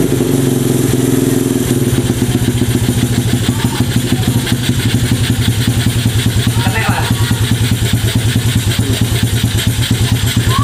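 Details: Mini trail bike with a manual-gear Honda 70-based single-cylinder engine that wouldn't start; after the carburetor jet thought to be clogged is cleared, a steady, evenly paced idle with no hunting, surging or misfire.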